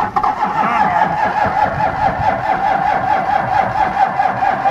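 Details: Diesel vehicle on a cold Canadian day, not plugged in, running 15W-40 oil, with a leaking fuel filter housing O-ring: long rhythmic cranking at about two strokes a second that never catches.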